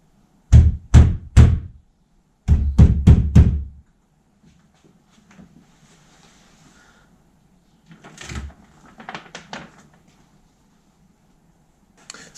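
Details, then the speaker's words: 2009 Nissan R35 GTR driver door, door card removed: repeated closings each give a dull thunk with a brief loose buzz; an unidentified loose block in the lock area rattling against the door. "Um, I don't know whether you can see that, but this this block [Music] here is rattling against the door."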